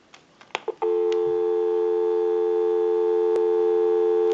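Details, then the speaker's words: Western Electric Model 500 extension desk telephone after bell circuit repair, new handset and line cords, and network and hook switch checked: clicks, then clean steady two-note dial tone without wavering or crackle before tone-dialing a time-and-temperature number. "And we'll go ahead and use a tone dialer to dial that number. We'll go ahead and give you some dial tone."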